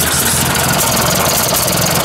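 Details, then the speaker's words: Warm Ford 800 tractor idling with a steady chuff and small quick pops on each exhaust pulse. Exhaust leak at idle, with a new muffler not yet fitted; owner suspects a worn exhaust elbow underneath. "little bit of an exhaust leak you can feel it popping through there so i imagine this piece this elbow underneath this probably wore out a bit"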